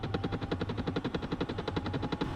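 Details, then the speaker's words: HCalory HC2 12V diesel heater (5-8kW) at first startup on a chilly day, set to about 80: quick, even fuel-pump ticking over a steady fan hum as the pump begins priming; normal startup. "I kind of hear the fuel pump starting to kick, but I press and hold this."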